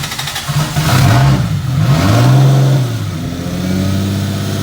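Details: Toyota 2JZ-GTE after new GSC valve seals, timing components, turbo setup and AR5 transmission, intercooler piping fitted: fires and blips freely, revs rising and falling cleanly, no knocks or misses; healthy.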